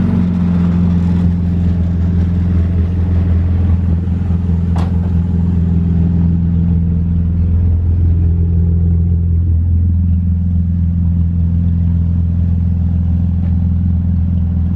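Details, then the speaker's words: BMW E36 with a swapped M54 six, driving slowly. A deep, loud, unmuffled drone with loose rattling from junk in the back: loud exhaust because half the exhaust is missing. "a bit filthy because i uh only have half an exhaust but also my bonnet doesn't really fit"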